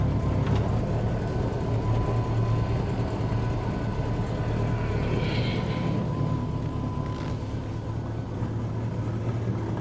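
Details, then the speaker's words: Bombardier "Bombi" with a Holley Sniper 1100 after the exhaust manifold crack fix and new coil, just started with no throttle input: smooth, steady idle with an even low rumble and no exhaust ticking, much quieter; the engine later cuts out after a few minutes; normal idle. "Okay, let's see. You know, so far that sounds pretty darn good. I'm not touching the gas pedal at all. Okay. That's actually sounded pretty good."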